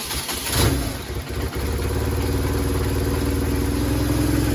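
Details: 2000 BMW R1100RT after service and carb adjustment: it catches and settles into a steady, even idle with a firm low thrum and no misses; the twin is running healthy.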